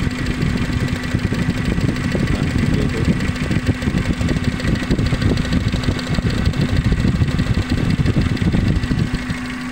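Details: Suzuki Carry Futura pickup idling lumpy and shaking, weak and stumbling on throttle; uneven beat in exhaust note as one cylinder misfires, traced by pulling plug leads to a faulty spark plug.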